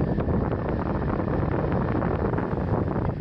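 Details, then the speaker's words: BMW E34 blower motor driven by an added aftermarket PWM speed controller: steady even rush of air with no whine, ticking or scraping; blower healthy. "so the pulse width modulated signal here the motor is barely turning right now it's off and it's not until I turn it about half way that I start to hear the motor and I start to feel something"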